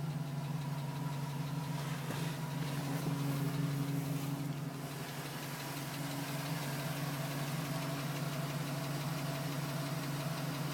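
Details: 2010 GMC Sierra with 2000 miles, cold start idle: light, fairly even tap about three per second, still present at 4 minutes, stopping at 5 minutes 42 seconds once warm; owner suspects piston slap, unconfirmed.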